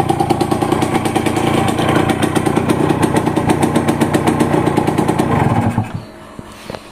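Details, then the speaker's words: Yamaha TZM two-stroke just after a full overhaul, cylinder block cut to new spec, not yet tuned and still in break-in, hard starting: crisp, fairly even rattle at steady revs, then throttle drops off; engine quiet, running normally after rebuild. "Jadi start dia ni susah sikit. Enjin senyap."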